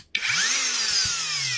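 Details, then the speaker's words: Performance angle grinder after repair: the fault was the switch, not the board; the seized switch was bypassed so it starts through two small wires. Clean spin-up to a steady high whine with no rattle or grinding; runs normally. "ça fonctionne je sais pas le contact se fais plus à l'intérieur j'en sais rien donc là le principal c'est que ça fonctionne"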